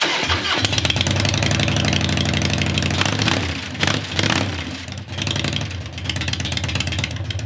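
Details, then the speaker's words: 1996 Harley Heritage Softail Nostalgia Evo V-twin, about 20,000 miles, sat for years, just revived: fires up and lopes at a slightly uneven cold idle with a few blips, normal. "foreign all right y'all well thanks for sticking with us getting this old Evo bike running that's been sitting for a long time"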